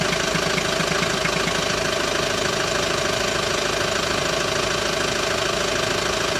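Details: Hyundai ix35 diesel, cold idle during warm-up: steady sharp knock about twice a second over the clatter, described as irregular, disappearing once warm; dealer could not find the cause.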